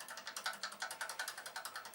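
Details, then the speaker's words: Commodore PET 2001 built-in cassette drive on play: light even ticking about nine times a second but tape does not turn; mechanism runs without spinning, owner suspects a belt. "this cassette drive does not seem to be spinning although it's making the sounds like it's spinning"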